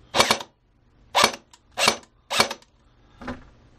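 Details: AEG airsoft gun with locked-up gearbox complaint, motor pushed down by hand into engagement: five crisp shots about one per second, gearbox cycling fully; fires normally, likely just sat in an oddball position.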